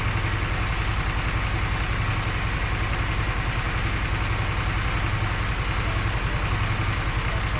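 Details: Harley-Davidson Sportster S, five months old, idling for a while: steady V-twin idle with a light regular tick or knock over the lumpy beat; source unknown.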